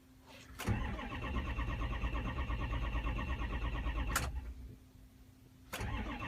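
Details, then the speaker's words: Dexter's truck, 68,000 miles, died on the road: steady cranking with even starter chug, never fires. ICP about 350, not enough to fire, and leaking down; high-pressure oil leak, possibly STC fitting or dummy plug. "350 so ICP is not getting enough to fire up look at bat it's leaking down to"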